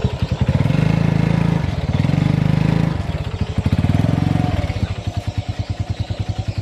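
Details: Honda Revo FI motorcycle lacking power, in first gear trying to climb a plank-high step: engine drones louder at high revs in surges but the bike won't pull; mechanic suspects the right-side clutch area.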